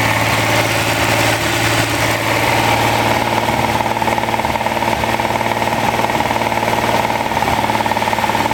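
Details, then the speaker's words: Freshly rebuilt Ferrari Dino 246 GT engine, fully restored and run on a small test stand before final installation, with oil pressure, water temperature and exhaust being checked: smooth, steady idle, even fast beat, no knocks or misses; normal idle. "Ferrari Dino 246 GT, moteur entièrement refait à neuf chez ARS Classique, monté sur un petit support pour voir si tout va bien."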